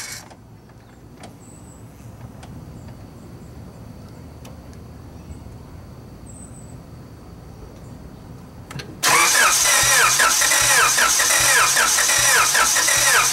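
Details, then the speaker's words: Car engine cranked with distributor disconnected, no spark, to prime oil after turbo kit install: after a quiet stretch, steady starter churning about two beats a second, no firing; battery nearly drained. "all right guys so I rotated this engine enough almost to where the battery sounds like it's going to die so I mean maybe that's a little bit Overkill but we got the oil going through"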